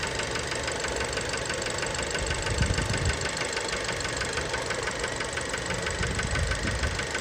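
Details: Fiat Bravo 2 1.4 T-Jet 150 HP at 215,000 km, after recent maintenance, close to engine: deep regular knock about three per second over the idle; worn rod bearings confirmed, car scrapped, cause unknown; rod knock.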